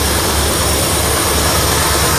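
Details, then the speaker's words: 1972 Ford F100 junkyard truck, sat for decades, idling after carburetor replaced with a rebuilt unit (previously ran rough from worn carb): starts right up, steady even idle, no misses or knocks, no smoke from exhaust, some fumes; normal idle. "rebuilt carburetor just like that starts right up idling perfectly heel PK working good no smoke coming out of the exhaust"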